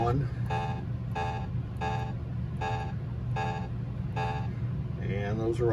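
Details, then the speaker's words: Williams Taxi pinball MPU board after capacitor replacement, NVRAM and FET installation, in switch test mode on row one; six even beeps about two-thirds of a second apart over a low hum. Each switch registers cleanly. "the next test is switch test so let me go through all of row one"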